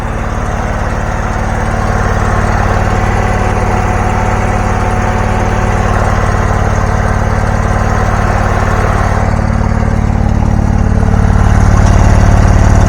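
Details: Abandoned John Deere garden tractor with Briggs Intech 20 hp engine, previously burning oil with a dead cylinder, now started: steady even low thrum at constant idle, no misfire, stumble or knock; runs perfectly, normal running.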